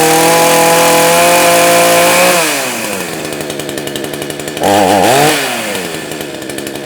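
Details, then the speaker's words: Proyama PCS62 chainsaw, first start after removing carburetor, checking intake boot and tightening boot and carb bolts that were probably a little loose, cold shop mid-20s: screams at high revs, drops to chattering idle, blips, settles; runs, fix unproven until warmed in wood. "okay well the real test is going to be once we get it some wood and get it good and warm and see how it does see if that actually fixed it or not"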